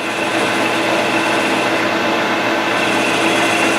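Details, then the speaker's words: Wide high-speed-steel form tool on a G0776 lathe at about 755 rpm, fed in gradually: a steady harsh cutting hiss with fixed ringing tones as the tool starts to chatter, which depends on speeds and feeds; chatter is suspected, not confirmed. "ex you can get it to where it'll it'll chatter and you'll hear but you've got to play with the speeds and feeds"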